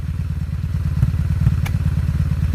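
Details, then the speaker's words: 2002 Honda Magna VF750C V4 after spark plug checks: deep, lumpy idle with an uneven, stumbling beat and dropped pulses; a misfire from one cylinder, with the whole bank on that side acting up, cause unknown. "guys listen close and Miss is coming from this cylinder"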